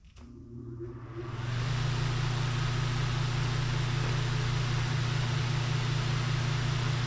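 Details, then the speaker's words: Mr. Heater Big Maxx 50,000 BTU garage heater blower motor, about a year old, tested after terrible noise in service: spins up to a steady even hum, no knocking; motor itself sounds healthy, old shaft looks damaged. "all right Let's test this real quick okay so so this motor does not appear to be making any noise"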